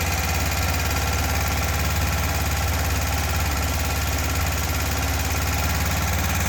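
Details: 1976 fuel-injected VW Beetle convertible air-cooled engine, first startup after a top-end rebuild (bottom end not rebuilt). Smooth, even idle with a steady low beat, no smoke, knocks or ticks. Healthy normal idle.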